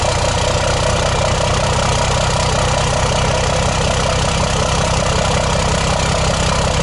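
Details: 2008 Ford F250 Super Duty swapped to a 5.9 12-valve Cummins, first run in the truck: steady even diesel clatter at idle, deep smooth rumble, steady tach, no misses or knocks; normal idle.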